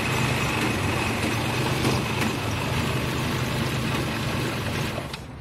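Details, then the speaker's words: 2006 Nissan in a no-start diagnosis: the cam sensor now gives a good signal, but the engine still idles shaky and lumpy with no clean rhythm; rough idle. "si ustedes notaron están muy temblorosos sigue tembloroso pero ya hay señal en el cam que está defectuoso"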